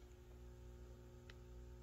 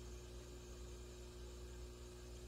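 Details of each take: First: Peavey VB-2 all-tube bass amp with a Digitech BP200 digital pedal in the effects loop: low steady mains buzz with stacked tones and one click; an active buffer is needed in the loop to drive long cords. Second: Peavey VB-2 all-tube bass amp with buffered pedal in circuit at volume 5 to 10: quiet steady white-noise hiss, faint low hum, buzzing gone.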